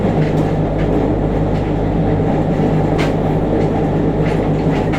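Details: JR Kyushu 303 series set K01, car 4 MoHa 303-1, recorded directly above the Hakata-end bogie between Shimoyamato and Hatae: steady low growl under the wheel clatter, following running speed, with heavy vibration from the motor area. Abnormal traction motor growl.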